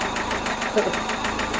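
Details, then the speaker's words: Toyota MR2 5S-FE engine, last start before removal: loud sharp knocking about eight hits per second over idle, following rpm; rod bearing gone, rod knock. "uh thank you so if any of you have ever heard of rodnock or want to know what rodnock sounds like this is exactly what it sounds like uh follows the rpm it's loud it's i mean that rod is gone"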